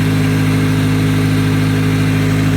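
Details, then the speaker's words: Honda D16Y7 engine at idle just after a timing belt replacement, before bleeding the cooling system: smooth, even low purr with a steady beat, no ticks, knocks or squeals; healthy idle. "sounds good it might start dying because it normally does if I don't start it in a few days no weird noises purring like a kitten sorry I'm a nerd"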